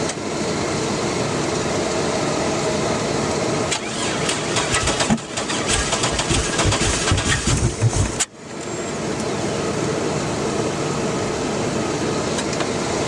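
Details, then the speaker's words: 2001 Chevy Blazer with a fresh battery: long steady starter cranking that never catches, then stops; cranks but won't fire, owner suspects a distributor timing issue, distributor hold-down missing. "she won't start they had this holding the distributor top didn't work and now I'm not sure there's nothing holding it down down there now but still won't fire"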